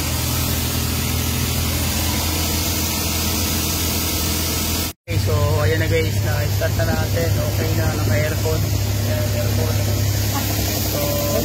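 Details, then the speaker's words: Suzuki K6A engine with no DTC, shaking, dying and hunting idle earlier; after ECU swap and vacuum leak check, a steady fast idle hum with slight shake and no hunting, revs held too high. "So nakita niyo guys narinig niyo na sobrang ingay talaga ng makina. Wala siyang magandang menor. Kanina namamatay, nanginginig. Ngayon naman ah mataas yung menor."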